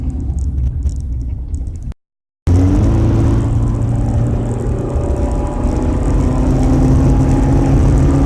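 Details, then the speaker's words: Car, apparently an old Crown Victoria, driving at around 30 mph after hitting road debris at about 50 mph on a highway. Deep raspy drone swelling under load, like a holed muffler; owner suspects an exhaust leak behind the wheels. "now my car sounds like I flickin put a muffler like a ricer I just did a terrible job it's white where it sounds like it's like is coming from down here right behind the wheels"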